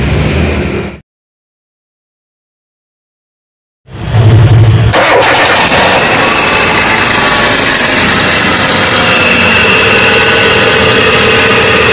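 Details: Hyundai Atoz engine: cranks and catches, then busy idle with loud tek-tek ticking returning after being quieted by spraying; dry belt pulley suspected. Worn belt pulley bearing ticking.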